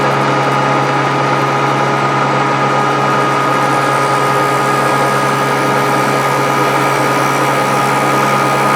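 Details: Grizzly G0458 18-inch open-end drum sander, just reassembled after breaking down, runs with a steady even motor hum, constant tone, no knocks or rattles while scrap wood feeds through; belt feed starts once speed control is adjusted while running. Works fine.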